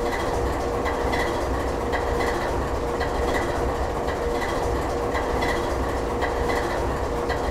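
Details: GE 7FDL16 locomotive diesel at its lowest idle setting: steady low rumble with a slow even pulse just under one per second; normal idle.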